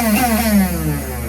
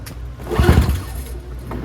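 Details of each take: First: NOMA 21-inch single-stage snowblower, 4.5 2-stroke, electric start tested: brief electric whir falling in pitch, engine not turning; starter motor spins but Bendix gear doesn't engage flywheel teeth. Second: NOMA 21-inch single-stage snowblower, 4.5 hp Tecumseh 2-stroke, after replacing tar-clogged fuel filter: pull-started on choke, catches quickly, then steady even buzz at full run, no misses or surging; normal running.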